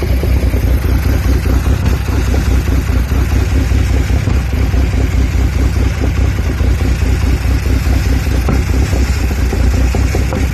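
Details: Audi A4 B7 3.2 V6 idling roughly when cold, a recurring problem: deep, loping idle with uneven pulses and a loose clatter on top, the beat never settling; cause not yet identified.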